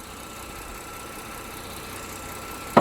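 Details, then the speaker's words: 5th-generation Honda Odyssey creeping forward at full steering lock: single sharp clunk from the front end; the radiator support crossbar bolts have backed out, body flex causes clunking on turns; fix is tightening those bolts. "that's that's the noise so it's those two crossbars for the rad support"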